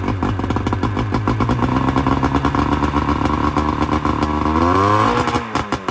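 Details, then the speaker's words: 1999 Bayliner Capri with 125hp Mercury outboard during rebuild, extra oil premixed in the tank, waiting for the thermostat to open: steady, even firing at low idle, briefly climbing near the end, no misfire or clatter; runs clean, idle set slightly low. "The idle's a little low."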